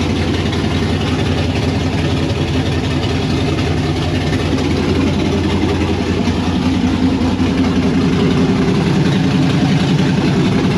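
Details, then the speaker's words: 92 Firebird LS swap with Holley Terminator X, first start outside: loud deep idle loping about two and a half beats a second, choppy rough idle; thermostat stuck. "It runs, you saw it chopping."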